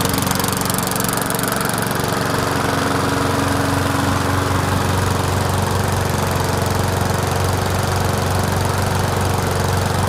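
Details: Murray 20-inch mower with 4.75 HP Briggs & Stratton engine, after clearing suspected hydrolock from overfilled oil: steady, even single-cylinder drone with no misses or knocks, run to burn off oil, likely smoky.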